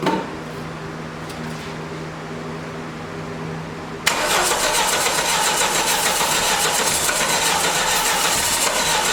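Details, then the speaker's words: 1989 Dodge Daytona junkyard car on a fresh battery, after transmission fluid soak and brake cleaner on bad gas: quiet crank, catches and holds a steady even run, no knocking, smoking; runs and sounds healthy. "it runs it runs it runs good people look at the cloud of smoke that is all that uh transmission fluid and brake cleaner and bad gas and whoever knows but it runs"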